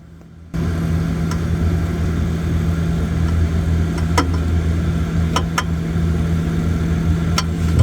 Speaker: Don't worry, your fridge is not broken. It's just the refrigerant flowing through different size tube inside system. You will see that. Small tube and a bigger tube can create that tapping noise.